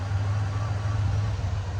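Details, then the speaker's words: Ford Ranger after replacing bad fuel injectors and fitting a new intake manifold gasket, spark plugs back in (previously a bad misfire): low, even rumble, no stumble or skipped beats; smooth idle, runs like new. "can't complain with that runs like brand new truck now nice and smooth"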